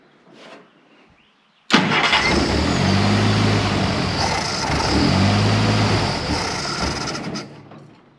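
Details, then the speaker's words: 1948 Jeep CJ2A, first run with radiator and coolant fitted after 30+ years dormant: catches and settles into an uneven, lumpy, wavering idle; needs tuning, timing next to be checked. "You can see it needs some tuning, but doesn't seem to run too bad."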